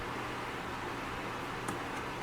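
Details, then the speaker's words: Coachmen Catalina 293QB RV furnace kicking on after the thermostat is set to heat: even, steady rush of air over a low hum, no rattle, scrape or squeal. Normal blower operation. "Turn it to heat. Set the thermostat, and just heard it kick on."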